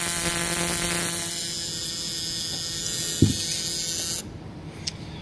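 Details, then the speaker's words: Battery-powered buzz coil (trembler coil, relay in box, as on Model T) on a hit-and-miss engine, contacts closed: steady high raspy electrical buzz for about four seconds then clean cutoff, continuous multiple-spark discharge; normal buzz coil operation. "so it's kind of like a uh a multiple spark discharge uh long before that was invented by other people such as MSD which is multiple spark discharge"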